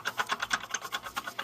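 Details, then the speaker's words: Water pump on car with squeal complaint, timing belt tensioner also failing; pump spun by hand gives dry, rapid ticking about eight clicks a second, a rough worn bearing needing replacement, likely source of the squeal. "we've definitely got a problem in a water pump that should not make that noise so we're on the right track"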